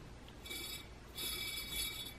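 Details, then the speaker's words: Singer 500 series Rocketeer PA10A sewing machine motor, disassembled to housing, commutator and shaft: gritty dry rasp as the shaft turns, rough 37KDD bearing with metal-on-metal or dirt; to be replaced. "there's stuff in there. It's either metal on metal or dirt on metal or whatever."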